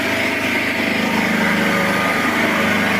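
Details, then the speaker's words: Petrol portable generator, about 2 kW, powering house lights on two floors and the boiler; steady, even engine drone with constant buzzy pitch, no knocks or surging, running calmly under load; normal running under load. "генератор у нас працює нормально спокійно не підтримує"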